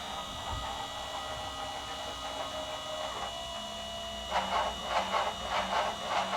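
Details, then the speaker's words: Enlarged 3018 CNC with 500 mm rails and T8x2 lead screw: steady stepper whine with hum, then rhythmic rattling bursts from the y-axis, later found to be backlash play in the lead screw nut; a replacement nut was ordered. "Well, it's all together. It's working. Kind of weird noise. I don't know why the y-axis is making all this strange noise, but"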